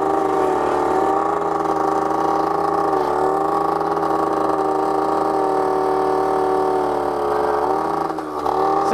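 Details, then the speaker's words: 1980s Honda Gyro two-stroke, sat 10+ years, after carburetor rebuild and fresh gas, excess oil finally cleared: buzzy note holds a steady pitch, dipping slightly as throttle eases; running clean and even. "That's probably more like what it's supposed to sound like"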